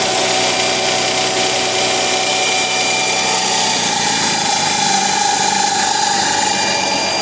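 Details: Mercedes CLK320 M112 3.2L V6 after replacing shredded serpentine belt, tensioner and upper pulley: steady even idle with smooth hiss, no belt squeal or chirp; drive belt quiet.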